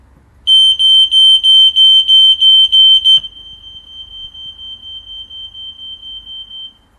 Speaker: yes, you can hear the heat alarm in the kitchen going at the same time as this. So the house code function has worked, and they're now radio linked together.